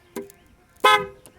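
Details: 2008 Dodge Nitro after a water pump job with the battery disconnected: won't start and nothing powers up. Two short horn honks about 0.7 seconds apart as the alarm system triggers and blocks starting; fixed by disconnecting the negative cable with ignition on until the alarm clears.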